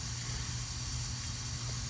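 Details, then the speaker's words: R22 heat pump unit reading -19 on pressure after customer-installed capacitors: steady high hiss over a low unit hum from the back side of the solder joint on the filter dryer; refrigerant leak. "all right guys I found the leak it's under here sure you guys can hear that it's on the back side on the the back side of that solder joint on that dryer"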